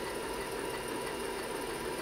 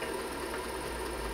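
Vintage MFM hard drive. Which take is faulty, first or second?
second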